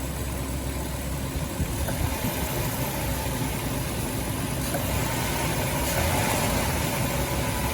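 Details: 2006 Dodge Grand Caravan 3.3 L V6 idling after a water pump replacement and coolant refill, warm and pressurized with the cooling fans running; even, low idle with steady hum, no knocks or ticks; normal idle.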